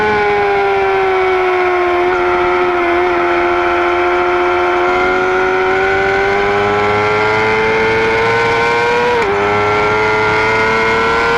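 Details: 2009 Yamaha R6 engine running: clear steady high-pitched whistle over the engine, rising slightly with revs; owner asks whether it is normal, source unknown.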